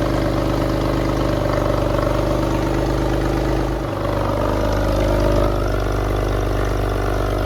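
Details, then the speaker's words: Porsche 911 (996) after a multi-year restoration, first start: lumpy, uneven, misfiring idle that hunts and dips before recovering; cause was the throttle body connector not plugged in properly, before the fix. "It did then start at one point, but as you'll hear, it was running really, really rough."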